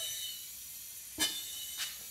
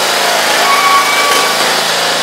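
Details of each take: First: Smoking Briggs & Stratton engine on John Deere zero-turn mower, leak-down test: air pressure pushes the piston down slightly, cracking the exhaust valve; steady thin hiss with two louder puffs as air escapes past the exhaust valve, caused by the engine turning. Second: Briggs & Stratton engine on John Deere zero-turn mower, refitted after coil cleaning fixed the weak spark that caused smoking: steady, even drone with no misses or surging for several seconds, then winding down; healthy running.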